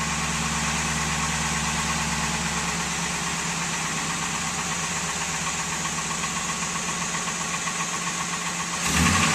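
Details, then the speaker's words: 2002 Ford F-150 5.4L 2V V8, 217,000 miles, warmed up after a cold-weather start; it idles fairly evenly with only a faint light clatter left from a badly worn timing set. Timing chain rattle quiets once the engine is hot. "And if you listen to the end, you'll see how the engine quiets down, so it's not bad at all when you've driven for a while and the engine gets nice and hot. It's just at startup."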